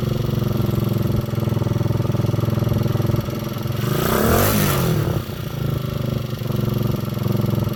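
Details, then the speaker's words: Honda XL125 Scrambler that had not run for months, kick-started with the air cleaner removed: steady single-cylinder thump at idle, one smooth rev that rises and falls cleanly, then back to an even idle. Normal running. "you listen to that sounds like a running bike hey"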